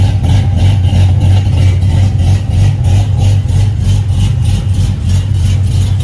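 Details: Cadillac CTS-V V8 with newly connected exhaust, still untuned, idling loud and deep with a rhythmic choppy lope of about three pulses a second.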